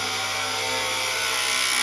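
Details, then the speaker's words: Vehicle with a loud noise at idle: steady whirring growl with a high metallic whine, no rhythm; mechanic judges an alternator fault and will remove the belt and spin the alternator to verify. "that's gonna be an alternator i'm setting it off that is uh yeah it sounds like an alternator so i'm gonna go ahead and pull it apart"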